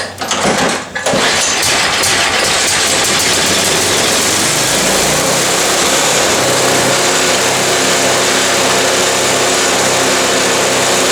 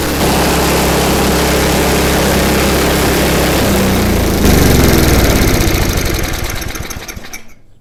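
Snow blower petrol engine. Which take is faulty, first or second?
first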